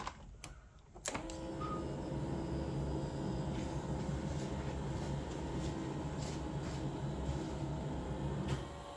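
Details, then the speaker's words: Toyota Tercel wagon 3A engine after head gasket replacement, throttle not hooked up, choke set: steady starter churning about four turns a second that never catches; no start because the distributor was left unplugged. "all right so take two I did not have the distributor plugged in you'll have that on them big jobs"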